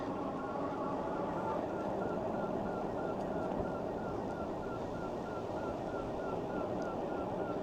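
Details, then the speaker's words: Engwe EP2 3.0 Boost e-bike ridden at speed: quick, regular high chirps over road hum, like something rubbing in the front wheel, though nothing visible; cause unknown. "It sounds like something's rubbing, but I can't see what it is."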